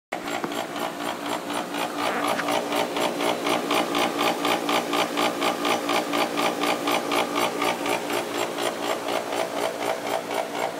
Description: Jandy pump with A. O. Smith motor - bad bearings. It makes an awful racket.